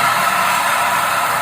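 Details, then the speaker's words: Automatic Suzuki Ertiga running with AC on: loud steady roaring hiss like a jet, no rhythm; AC compressor pulley bearing found seized, belt tensioner fine, noise present with AC on and off. "Bantalan di dalam kompresor AC macet."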